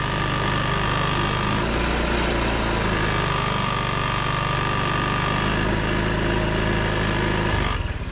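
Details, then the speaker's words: 2009 Honda Ruckus scooter, bought cheap, kick-started; oil and fluids still need changing: small engine chugs unevenly with ragged beat, then fades and dies; rough running and stalling, cause unknown. "a 250 dollar honda breakfast that's about to die it's about to die there we go"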